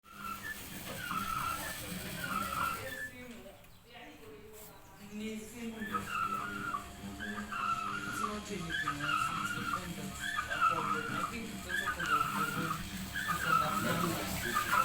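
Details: Samsung washing machine running: repeating scraping squeal, several a second, over rough drum rumble; suspected bent spider and worn-out drum bearings.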